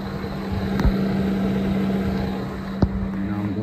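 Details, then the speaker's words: 2008 Saturn Vue with a radiator-fan no-turn-on fault, after a fix, key on; fans run with a steady even hum and airy rush, no rattle or grind. "one more click here you can hear the fans on"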